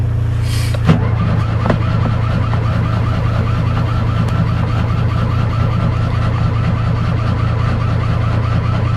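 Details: Fiat 126 cold start, last run 18 October: a low, uneven churning drone for several seconds without catching or gaining speed; cranks but won't fire, owner suspects spark plugs or ignition coil.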